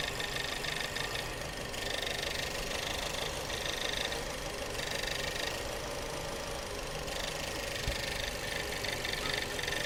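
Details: Subaru with replaced engine idling rough with uneven stumbling beat and loose rattly knocks; misfire being diagnosed via injector signals, one cylinder barely running, fuel pump rattling loudly; earlier suspected blown head gasket.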